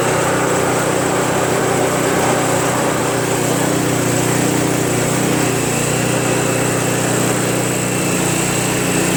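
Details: Craftsman Trac Plus 23" dual-stage snowblower, 5HP Tecumseh engine, cold first start after a year's storage without stabilizer (tank was empty, fresh gas added, full choke): even steady putter settling into a healthy idle, no stumbling or hunting.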